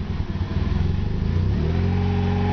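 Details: Mazda RX-8 with brand-new rotary engine, header-back exhaust and downpipe, warm at operating temperature: idle pulses up and down unevenly, somewhat rough even cold; code thrown, dealer suggests computer or exhaust; cause not found.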